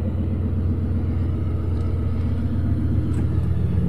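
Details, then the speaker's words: Truck at a salvage auction yard with its check engine light on: steady, even low rumble with no knocks, ticks or misses. Normal idle. "she sounds good she does have a check engine light but it sounds good"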